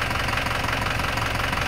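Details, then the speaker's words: Isuzu Panther Turbo 4JA1 diesel after an engine rebuild (new liners, pistons, rings, bearings, gaskets, oil, filter, thermostat), recorded 1 m from the car: even, steady idle clatter with no stray knocks or rattles; normal diesel idle. "bersih suaranya enak didengar teman-teman."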